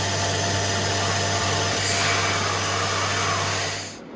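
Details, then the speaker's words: Becker VTLF 2.250 dry rotary vane vacuum pump for a CNC router, after cleaning and maintenance, rotation direction checked: steady low hum and even hiss for a few seconds, then winds down; running well. "so overall very happy with how this turned out pump sounds good"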